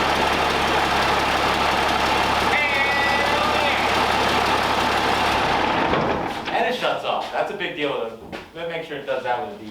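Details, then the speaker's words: 12-valve Cummins diesel swapped into a Ford F600, running on the original key with a battery in the truck: loud, steady diesel clatter at an even idle for six seconds, then it winds down and shuts off cleanly. Normal idle and shutdown. "all right so got the truck running with the key with a battery in the truck no straps no cables"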